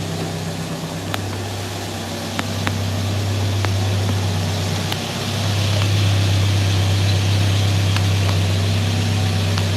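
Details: Mercedes W123 started after about three years dormant: smooth, steady low idle with an even beat and no knocks, ticks or misses; running healthy.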